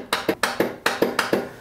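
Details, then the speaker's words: Lawn tractor: rapid dry clicks, about four a second, from under the hood, engine never cranks; cause being narrowed down between battery, starter and solenoid. "Hey, guys, welcome back. I've got a lawn tractor in the shop here. As you can hear it, it's just clicking."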